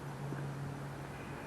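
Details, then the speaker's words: 2007 Jeep Compass that vibrates in drive and when stopped: low, even hum with steady pitch and no shake in neutral with no load; normal idle, pointing away from the mount that neutral vibration would implicate. "but uh it's not doing any vibration at all while it's in neutral and that would be a good indicator"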